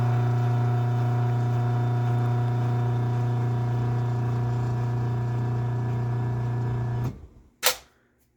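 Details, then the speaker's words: LiftMaster 8587WL garage door opener, made 2021, after two new travel modules and a new board: loud steady motor hum with strong low buzz for seven seconds, then a sharp clunk as the lock engages; much louder opening than closing. "there's the lock so it's not terribly loud on the way down it's on the way up that this thing is really loud"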